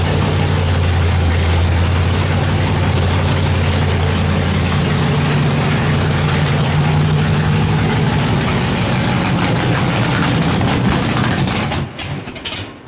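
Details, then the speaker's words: Nitrous small-block Chevy V8 project car, first start after build: loud lumpy idle with deep uneven loping burble, running rich; fuel pressure too high, needs turning down. "maybe we gotta turn that fuel pressure down a little bit"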